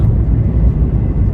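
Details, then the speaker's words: 1989 Honda Civic EF sedan on first drive: low even exhaust rumble while driving, not loud, no drone, rasp or leak puffing; normal exhaust note. "It's really not that loud. Hopefully it's not drony though."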